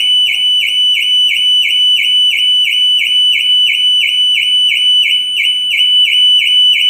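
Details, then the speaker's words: New Audi Q6 e-tron, climate control switched on remotely via the cloud app: loud, shrill, high-pitched siren pulses about three times a second without stopping; false alarm activation that happens every time, and app alarm-off fails. "Klimatyzacja została włączona. Dobra. I aktywował się alarm. Dzieje się to za każdym razem."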